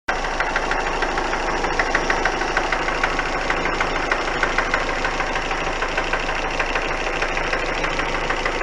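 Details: Engine idling steadily with a sharp tap repeating about three times a second over the engine note; a clear engine knock, cause not yet known.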